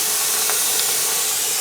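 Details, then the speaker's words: Presto pressure canner holding 7 quarts of potatoes, venting before the weight goes on. An even, steady hiss of steam comes from the vent with no sputter, the steady plume that starts a 10-minute vent. This is normal venting. "what we are looking for is a steady plume of steam. Whenever, from right here at the top, when a steady plume of steam has come up, we're going to set a timer for 10 minutes, and we're going to let that vent for 10 minutes."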